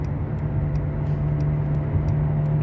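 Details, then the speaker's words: Dodge Avenger, possibly 2012, steady low airplane-like drone at road speed that changes with slight steering; worn front wheel hub bearing, likely driver side; front hub bearings replaced. "pues sí definitivamente está haciendo ruido muchas veces se mueve es poquito el volante y cambia el ruido"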